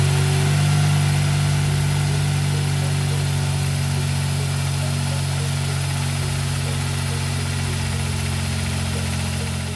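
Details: Smart Roadster 452 engine after freeing a seized alternator that had caused delayed starts: steady, even idle with smooth regular beat, no knocks or squeals; normal idle.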